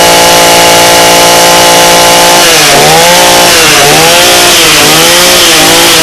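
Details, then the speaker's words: Echo PE-225 two-stroke edger with a non-adjustable carb that had run only on choke; after richening, it gives a high screaming note with slight four-stroking warble, a correctly rich tune. "there's something called for cycling it where kind of sounds like you it's breaking up and it's doing that pretty good how you do that is you rich it so it's screaming and then a little richer"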